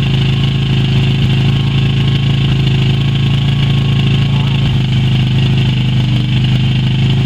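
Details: Yamaha Virago XV250 started after 6 years in storage, old tank fuel black, carb primed with squirted petrol; loud steady low idle rumble holding even, left running to push stale fuel through the carbs.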